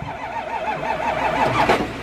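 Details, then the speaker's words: Abandoned car cranking slowly with an uneven, wavering, labouring rhythm that never catches cleanly; green coolant noted, diagnosed as a worn starter. "you got green coolant in here oh yep your starters it's the starter that's what mine was doing it always"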